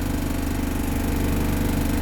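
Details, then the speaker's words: Mitsubishi Galant Shark automatic with an idle of about 1,000 rpm. Shifted into gear the idle drops about 500 rpm with shaking, and in neutral it is smooth. The idle is low and slightly uneven, with a wobble. "Bagsak ng 500 may kasamang inig neutral natin yan neutral walang nginig reverse walang nginig kaunti lang"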